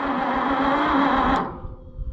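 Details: Engine cranked with a NAPA Carlyle CJS24V850A jump box: a strong, even starter whir for about 1.5 seconds that then cuts off cleanly; healthy cranking.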